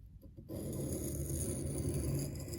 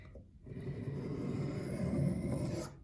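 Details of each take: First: Reed knife on a wet 1500-grit stone, front side of the blade, angle guide number 6 after the lowest angle failed to grind: a dry, even rasp starts as the blade bites, closer to the wanted sound at a near-correct angle. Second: Reed knife on a 1500-grit stone, angle guide above number 6: even, unbroken two-second rasping strokes with no chatter; the sound is right, but the edge catches mainly mid-blade, less at the end.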